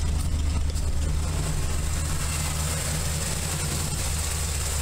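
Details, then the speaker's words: 1981 Camaro Z28 V8 with just over 200 miles since the build, after a valve adjustment and a quick fix at the number 5 spark plug: the idle is deep and lumpy with beats dropping out, a misfire. The owner suspects the spark plugs. "I think we still got a miss. Not sure what that is."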